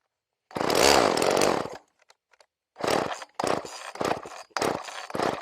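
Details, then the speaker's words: Homelite chainsaw after carburetor idle screw backed out, varnish found, low screw turned richer; good spark: catches and revs briefly, dies, then sputters in short bursts that never hold; engine stalling after start while being tuned, cause unconfirmed. "Well, come on now. And that is why you adjust carburetors when the engine still runs."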